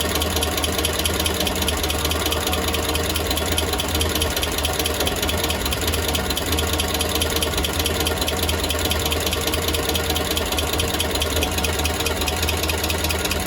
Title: Engine noise after exhaust leak fixed